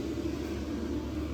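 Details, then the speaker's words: Extractor blower venting air outside through a duct, controlled by a light-switch dimmer: steady, even whirring hum with low drone, not too loud, no knocks, rattles or wavering; healthy extractor fan running smoothly. "It's blowing beautifully. You can hear the noise. It's not too bad, not too loud."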